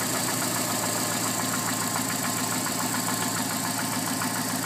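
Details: Alfa Romeo 145 1.6 boxer engine at idle: fast light ticking about three to four per second over a steady idle. Source unclear.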